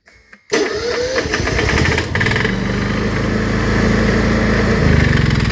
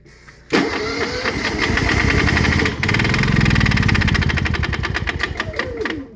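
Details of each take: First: Honda EU7000is fuel-injected generator with a start-then-stall problem, after the repair, which involved a flow measurement (bad about 100 ml, good 120 ml): brief crank, catches at once and runs steadily without stumbling. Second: Honda EU7000is inverter generator with start-then-stall problem, oil reduced after overfilling (fuel suspected in oil), side covers open: catches, runs roughly with uneven beat and light slap/click, dips, recovers, then dies after seconds; cause unconfirmed.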